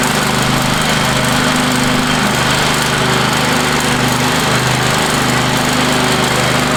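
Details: Free Craftsman riding mower, reportedly quit running, now cleaned and power washed, mowing the front yard with the deck down: a steady, even single-cylinder drone under cutting load with no surging or missed beats, and it shifts smoothly. Normal, healthy running.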